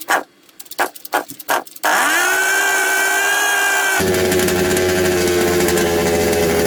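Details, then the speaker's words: Secondhand 1/5-scale RC Baja two-stroke just after swapping the isolator block, whose gaskets were suspected bad or warped. After a few handling clicks it buzzes to a high whine and hunts unevenly. It starts better, but an air leak is still suspected and it runs rough. "and unlock the auto all right still seems to be an air leak yeah it's another tricky do"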